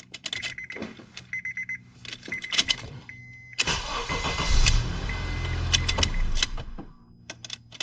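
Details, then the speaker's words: 2006 Honda Accord 2.4 four-cylinder, after replacing the faulty ignition switch electrical part: dash chimes, brief crank, engine fires promptly and runs evenly; normal start. "As you can see there, it starts without any problems and without failing even once."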